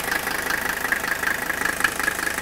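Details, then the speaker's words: Older Mercedes diesel with injectors replaced to cure severe idle shake: typical even diesel clatter, some vibration but no pulsating shake; smooths further off idle. Normal diesel idle after injector replacement. "now don't expect the diesel engine like this to be as smooth as a gasing but look at the difference sure there's some vibration here but we've eliminated that pulsating shake that you saw in part"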